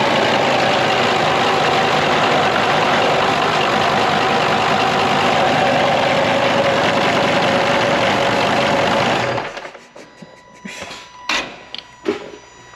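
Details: Volkswagen Touareg V10 TDI twin-turbo diesel, tuned and deleted, with custom straight downpipes and full straight-pipe turboback exhaust, first start after engine reinstall: loud, raw diesel clatter running steady about nine seconds, then shut off; healthy first start.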